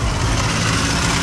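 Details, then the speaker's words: Car running after a remanufactured AC compressor was fitted and charged without vacuuming the system: coarse, steady low rattle loudest down low; AC not cooling, compressor suspected of the noise, system may need vacuuming. "making a loud rattling noise down there it's not getting cold i probably just need to vacuum it down vacuum it down and then see if it gets cold in there but as of right now it's not and plus the ac compressor is making a loud noise"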